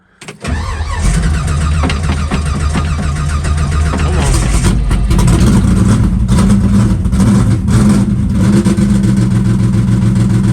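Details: Green Chevelle in a true cold start at about 20°F in snow, carb primed and given a couple of pumps: quick catch on the first crank, then a deep, lopey idle that holds steady without choke; a healthy cold start.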